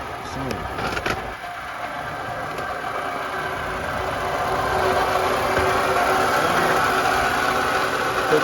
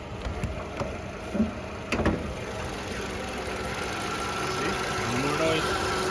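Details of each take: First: 2012 Toyota RAV4 engine: fast, fairly regular rattle about four per second over idle, from the front of the engine, that does not go away. Worn water pump bearing rattle; the fix involves removing the belt and a cover. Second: 2012 Toyota RAV4, after replacing a component whose worn internal bearing had excessive play and caused a constant engine rattle; heard under the hood: a few handling knocks, then a quiet, even idle with no rattle, normal idle.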